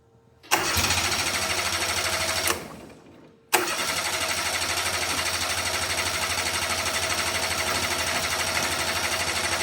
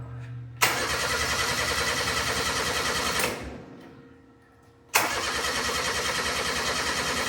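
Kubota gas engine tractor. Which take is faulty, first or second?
second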